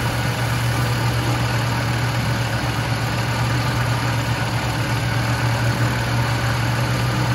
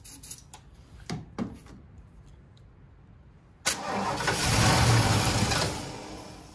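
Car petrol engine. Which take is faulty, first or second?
second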